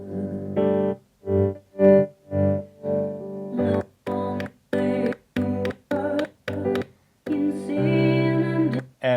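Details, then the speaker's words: Mackie Big Knob Studio monitor controller after repair of its monitor A/B source switch: keyboard music cuts in and out cleanly as the button is worked, with no crackle or pops. "And notice if I fiddle with the button, there's no crackling whatsoever."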